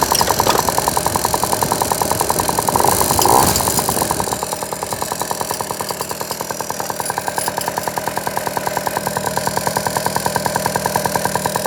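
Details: Piaggio NRG two-stroke scooter after new crank, crank bearings and cheap 70cc big bore kit: light quick ticking near three a second over the buzzing idle, seemingly top end; piston not hitting head when checked, cause unknown.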